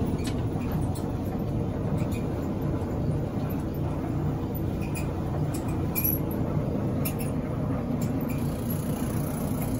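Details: Electric Maytag dryer, heavily worn, owner complains of loud noise when it starts; heavy continuous low rumble with rough uneven roll while running, traced to a worn idler pulley; dryer also not heating, element to be checked.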